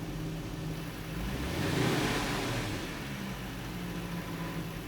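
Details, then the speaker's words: 2007 Supercharged Range Rover L322 after throttle body cleaning, battery reconnected: engine blips and drops straight back to a steady, even idle with no hunting or surging; normal idle. "Let's give it a rev. It settled right back down. That's a success. Nice. Yep, that's what it was."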